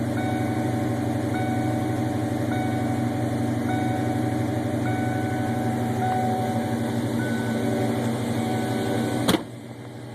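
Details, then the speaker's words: 1993 Mustang LX V8 with custom cam, ported intake, GT40X heads, about 2000-2200 stall converter, in garage: fast choppy lopey idle set at 1500 rpm with door chime dinging; normal high idle with performance cam. "I'll go ahead and give it a few revs um looks like it's I got the idle set right at 1500 RPMs"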